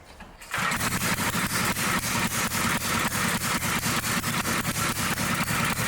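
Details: Old Dayton generator that sat unused for 30 years, restarted after reassembly and starter clutch removal: starts after a brief pause, then a quick even popping beat around three per second; small single-cylinder engine running steadily.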